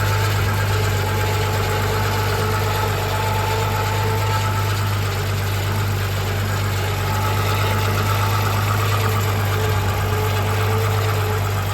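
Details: Audi A6 C4 V6 at idle with the accessory belt removed: even idle with a faint steady whine that persists belt-off, so the noise comes from inside the engine; source unclear.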